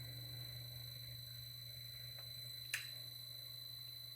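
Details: Lorch 8mm watchmaker's lathe running at medium speed on its VFD drive, freshly lubricated, before the first graver cuts on a 4mm steel rod: a quiet, even high-pitched whine over a low hum, with no knocks or rubbing. It is running normally.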